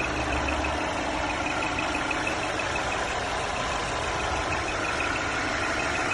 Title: Mercedes E350 Coupé pfeifende Motorgeräusche